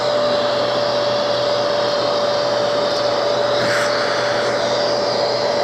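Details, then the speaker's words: Genesis upright vacuum with cyclonic separation, normal running: smooth, constant rushing airflow and a steady mid-pitch motor tone while dust and paper spin in the cyclones. No surging or rattles; healthy. "without being in here and there's another one that are spinning right here on top wow that is cyclonic at the best"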